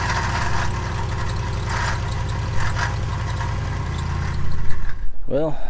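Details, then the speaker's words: 2015 Ram 5.7L HEMI, hood open at idle, after a squeak and then a rattle appeared while driving: a busy idle with a loose, uneven rattle. The water pump pulley wobbles back and forth, suspected failed water pump bearing. "hopefully you saw that the water pump pulley was going back and forth inside there I think the bearing's gone out on the water pump"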